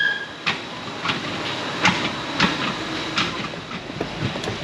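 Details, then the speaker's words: Toyota Sienna 3.3 while driving: sharp, uneven clunks about twice a second over road noise from loose, damaged suspension underneath, and a wheel is seen moving under braking. "you guys hear that that clunking suspension flopping business down there something's something's falling apart on this car"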